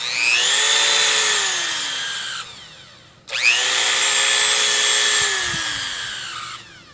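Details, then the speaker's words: Dremel rotary tool long unreliable, motor brushes thought worn (replacements didn't work, old brushes reinstalled); high-pitched whine spins up, holds, winds down twice with gritty rough edge; owner suspects bad bearings, motor sticky and shot. "it's just shot so it's sticky and it doesn't work right"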